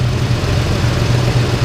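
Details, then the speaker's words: 1998 Ford Ranger 3.0 swapped engine, warm at 160 °F coolant, 800 rpm idle, idle air solenoid in the 20s percent after high-idle fix: steady idle with faint uneven lope; slightly rough but acceptable. "still seems like the idle's just a little bit"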